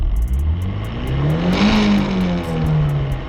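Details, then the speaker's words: Nissan S13 with newly installed ISR Performance short-throw shifter, revs rising and falling with a light buzzing rattle from the shifter at about 6,000–7,000 rpm; owner suspects a weighted shift knob will fix it. "yeah so from about yeah from about six to seven thousand rpms is where it actually rattles i think i can fix that with a weighted shift knob"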